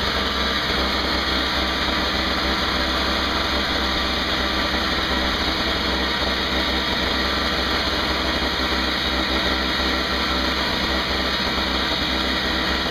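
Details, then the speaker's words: Craftsman 5hp 21" two-stroke snowblower after carburetor repair (leaking fixed), 20:1 fuel mix: steady even buzz at constant speed with no misses or surging, no leaks; running normally. "sounds good no leaks i think we have a winner"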